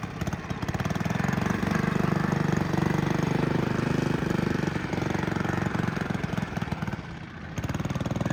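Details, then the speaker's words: 1959 McDonough Tin Lizzie T-10 go-kart engine, driving with the belt connected after pilot-jet setting: chugs steadily but dips and nearly stalls at times, mainly in sharp turns, then picks up. Bogging under load. "sounds like it's struggling a little bit at times. So, what do you think? Pretty cool. It sounded like it almost stalled a few times."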